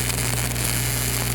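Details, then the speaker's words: Miller RMD MIG welding on pipe: welder whips and opens a keyhole in the root, and the arc turns to a harsh uneven sputtering crackle over a steady hum, running badly until the puddle solidifies back. "hear it start to run really bad, start to sputter. He's kind of solidified it back out now."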